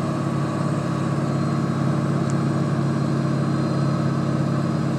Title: 7.3 humming noise fir the fte boys